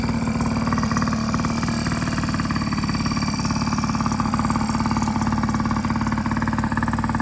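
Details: Yamaha PW50 two-stroke after full rebuild (carb, cylinder top end; has compression and spark): ticking over with a quick, steady buzzing beat, no stumbling or misfire; normal idle.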